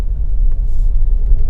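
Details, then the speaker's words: Mercedes GLE-250 driven over small potholes after full front and rear suspension overhaul (new bush kit, new front shocks); smooth even road rumble with no clunks, knocks or rattles; suspension quiet, repair successful. "ये जो हल्की हल्की दोचियाँ हैं, अगर आपको आवाज़ properly आ रही है तो शायद, मतलब मैं कोशिश कर रहा हूँ आपको सुनाने के लिए, बट सस्पेंशन की कोई आवाज़ नहीं आ रही है।"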